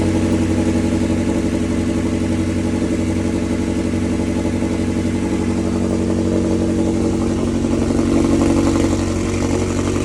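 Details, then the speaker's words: McLaren 720S engine after repair of failure from high oil temperature at Time Attack, oil system primed to about 2 bar; loud cold start, steady even quick firing beat, no knocking or ticking, stable oil pressure at idle; normal cold start. "Fire up this car. Now it's gonna be loud. It's a cold start."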